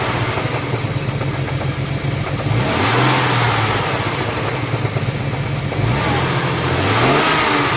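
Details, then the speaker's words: Ford EL Falcon 4.0L SOHC six with original exhaust manifold: sounds normal at first start but idles poorly, then when warm makes a loud, harsh racket over a lumpy idle swelling with each blip; blocked, collapsed catalytic converter. "sounds normal when you first started except it idle sucks then when it warms up it makes this God awful racket it's"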